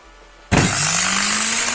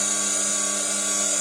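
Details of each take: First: Motor removed from a Candy GO F 107 washing machine that would not spin its drum, bench-run on 220 V with jumpers: whines up to a steady high speed with a harsh crackling hiss; heavy brush sparking suspected, brushes to be checked. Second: Candy GO F 107 washing machine drum motor after replacing worn carbon brushes with donor brushes: steady high clean whine, no scraping or sparking crackle; drum spins normally, fault was brushes.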